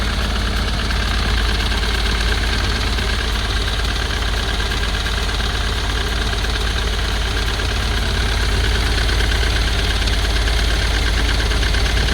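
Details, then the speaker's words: Ford Transit, previously seized engine, now running with oil coming through the exhaust: rough, uneven diesel running with a loose knock about three per second under heavy rumble; owner suspects cracked piston, turbo or injector. "sounds like a chip pen inside that exhaust um with the oil going through up now that could be a number of things be a crack piston turbo no injector"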